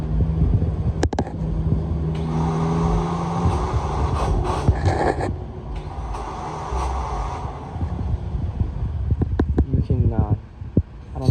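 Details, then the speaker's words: 2017 Honda Civic with a new battery that won't start; on two key turns the starter spins in place with a whirring grind, its pinion not pushing out to engage, so the engine never turns over. Faulty starter, to be replaced. "it spins but you can hear the grind noise on the starter"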